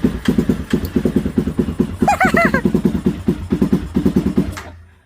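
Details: 2017 Honda CBR300R that would not start or power up, fixed by replacing a blown main fuse; engine fires and idles with steady, even pulses, then cuts off cleanly, no misses or knocks. Healthy running.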